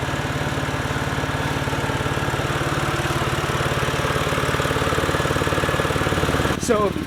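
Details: BMW 128i with stock exhaust at steady idle: an even puffing tick about three per second on the exhaust note. The exhaust leak was located with soapy water at a rusted bolted joint; tightening the bolt was attempted.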